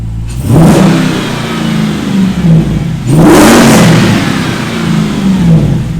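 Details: SRT 6.4L Hemi V8 swapped into a Jeep Wrangler JLU Rubicon, first start-up after the swap: deep V8 climbs cleanly on two quick blips and settles back smoothly, no knocks or misses; healthy.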